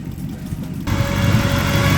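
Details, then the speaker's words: Celica RA64 with swapped 1UZ V8 and T-56, first drive, fans not yet on, burning-off smell: loud deep, slightly lumpy rumble with thin steady tone; owner suspects exhaust leak or unhooked EGR, otherwise running well. "it otherwise sounds good and it's running smoothly um so that's good so far um it's pretty loud as well but we were expecting that"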